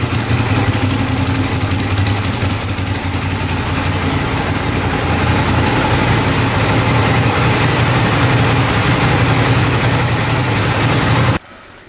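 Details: 2012 Arctic Cat Wildcat 1000 side-by-side idling after fresh oil and filter change (2.5 quarts), about eleven seconds before shutoff: even steady firm low thrum, no tapping or rattles; normal idle.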